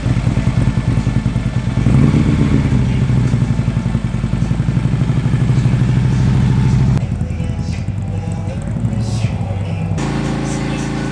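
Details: Harley-Davidson V-twin after cam job (easy-start cams, lifters, S&S oil pump, pump plate), rattle believed from the exhaust pipe/heat shields now gone: loping, even idle beat with no metallic rattle over the exhaust note; normal idle.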